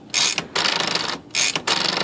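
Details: Smith Corona typewriter (no-silencer model) after freeing a sticky part and adjusting the power spacer and escapement: quick ratcheting clicks in two even bursts as the carriage travels and latches cleanly; carriage previously would not latch.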